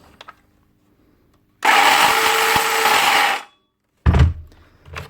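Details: DeWalt DCS577 60V Max circular saw running unloaded: loud rough gravelly grinding over the motor tone; collapsed top armature bearing, fixed by replacing the bearing while the motor still runs.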